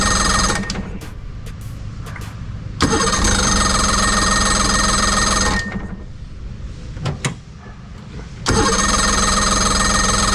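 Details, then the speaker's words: 2006 Evinrude 90 E-TEC outboard that starts then dies, run from a separate oil-mixed tank, old fuel; several bursts of fast even cranking that never run on. Compression good; fuel starvation. "It's trying. Got all fuel. >> It's really old old fuel. Yeah, man. I don't know. It's got that old fuel in it."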